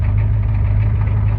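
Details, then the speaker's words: 1992 Ford F-250 IDI diesel just started with ether: deep uneven clatter with lumpy low throb at idle; rough idle, owner suspects injectors. "There it goes. Still not running the greatest. I think it's some injectors is what we need."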